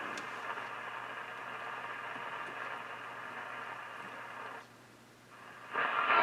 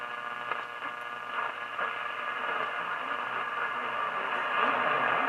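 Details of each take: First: Philco 38-7 radio after repacking capacitor blocks and volume control repair: music comes through clear and full once warmed up, no hum, crackle or distortion, though bass still weak; audio stage working properly. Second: Philco 38-7 radio after its capacitor blocks were repacked: a steady hiss and hum with a station barely audible through it; weak reception, cause not yet found, with rusty tuning cones noted.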